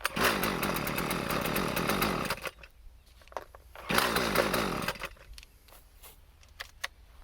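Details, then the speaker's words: Husqvarna 128CD two-stroke trimmer after replacement parts were fitted, started on choke and still smoking: uneven snarling surges that sag and nearly die; rough running, and the owner suspects the carburetor isn't tuned. "She ain't happy. Guess back to the drawing board. I wonder what the hell it could be."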